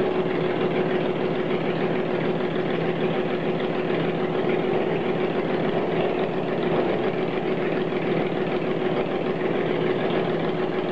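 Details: Engine on first start after rebuild, started with a bit of choke: steady, even idle held at constant speed, no misses or knocks; runs smoothly, normal idle.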